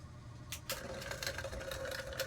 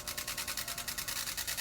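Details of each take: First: Old cheap clip-on electric fan after repair, parts adjusted and retightened: quiet steady motor hum with only a few faint light ticks, no rattle or buzzing; normal running. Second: Old clip-on electric fan, loud for a long time, running before repair: fast pulsing hiss and rattle, about a dozen beats a second, noisy even when shaken; rattle from loose parts.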